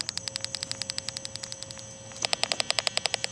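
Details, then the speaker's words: 2006 Ford F250 backup sensor check, engine off, key on, in reverse, heard via inductance wand: crisp regular high ticks three to four a second, louder when the sensor is covered; this sensor is working normally. "So that sensor's working fine."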